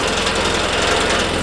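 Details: Old Volkswagen Jetta at idle, lifted, engine mounts checked fine: a fast, steady metallic rattle from a loose underbody skid plate and a low-set hood buzzing against the body; fixed by re-tightening, a hose wedged in a gap and raising the hood bumpers.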